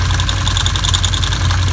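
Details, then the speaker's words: 2015 Can-Am Commander idling with the clutch cover off: a fast, loud metallic rattle from the driver's side near the airbox, worst at idle and fading with throttle. The cause was all six primary drive clutch bolts being loose. "I noticed that the noise was much worse at idle than it was if a little bit of throttle was applied and at higher rpms end up taking the cover off of the buses and the noise became really loud really sounded like these coming from the primary here"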